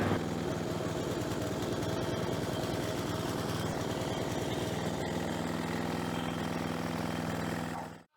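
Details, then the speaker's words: Ride-on mower small engine, just fitted with a new spark plug after a carboned old one: uneven, lumpy beat at about four pulses a second that smooths slightly; running rich because the air filter is blocked. "it is running a bit rough I don't know if you can hear it or how well you can hear it h now it's just smoothed out a bit I know I think it's running a bit too rich so I will check the air filter it could be just blocked a bit"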